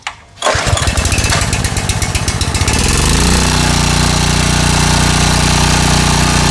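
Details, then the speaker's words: Small mower engine after carburetor bottom reinstalled, fresh fuel and new air filter: a single pull catches and settles into a steady, even run with no misses or knocks; normal running. "So again, very cool. Um, I love the fact that this thing still works."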